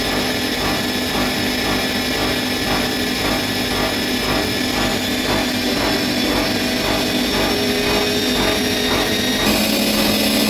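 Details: Bosch Maxx 6 washing machine at high spin speed after motor bearings were replaced (drum bearings good): loud rough roar with steady pulsing about twice a second; owner concludes the drum is broken.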